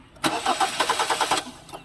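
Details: Hyundai Tucson: starter cranks in a quick steady chug, about ten even compression beats a second, then stops without the engine catching; crank no start.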